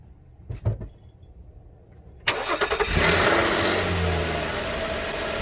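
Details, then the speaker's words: 2013 Nissan Pathfinder, 265k miles, just after replacing AC clutch and serpentine belt: brief crank, catches quickly, settles into an even, steady idle with no belt squeal or chirp; running fine. "okay now everything's fine i'm gonna want to check it for a few minutes to make sure it doesn't go out"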